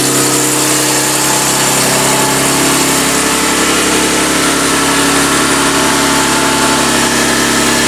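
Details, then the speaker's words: BMW S50B32 engine on test stand after tweaking the windage tray, warm with thermostat open and 40 lb oil pressure; even smooth idle with no bottom-end knock, light top-end tick (valve clearances need doing), noisy VANOS; normal idle. "compared to before she's a lot quieter idles really smoothly very nice"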